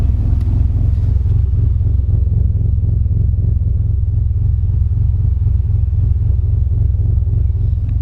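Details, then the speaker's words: 2006 Honda Accord J32A3 with a Turbonetics 6968 turbo and aggressive performance cams, idling with a deep, choppy, rhythmic loping and audible clicking; this is the normal cam character, louder than stock or RDX cams. "so that is my cam um I actually have a few sets"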